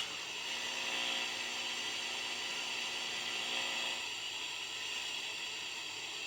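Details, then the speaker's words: Unitra Eltra Alicja R-701 radio with FM programmer and fixed long-wave station, long wave already found dead: on FM with a wire antenna attached, only steady even hiss, no station or voice; no FM reception. "OK połączyłem tylko kabelek zobaczymy czy coś złapiemy tak niestety zakres UKF nie daje oznak"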